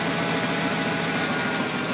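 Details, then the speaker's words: 1994 Ford Bronco Eddie Bauer V8 idles smoothly with a faint steady high whine, typical normal power steering pump whine for these Fords; slight tick from an exhaust leak also present. "that wine you hear is just typical power steering wine in these Fords if you didn't recognize it already"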